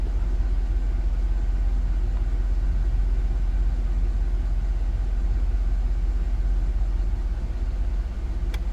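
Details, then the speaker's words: 2007 GMC Yukon XL 5.3 V8 after replacing the oil pressure sensor (ACDelco) and filter, idling: low steady rumble with an even beat, no knocks or ticks; idle has come down and is steady, while the gauge may still wander, maybe about a pound. "Everything else pretty steady. So the idle come down, they come down. That's fine."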